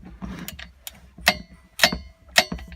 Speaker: But you hear that? Something's hitting. Right, now, if we take a look down on the flywheel, see all this scoring? This is actually the magnet part, and it's not clearing the bottom of the actual coil part on the magneto.